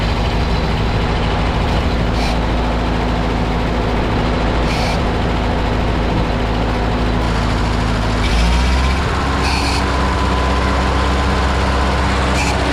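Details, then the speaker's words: 1952 Ford 8N tractor with gravity-fed fuel, after replacing a carburetor that caused stalling at idle and under load: steady, even drone for about 20 minutes in the field without sagging or dying; normal running. "Just went and ran this for about 20 minutes out in the field. Didn't die on me one time, which the old car it absolutely would have."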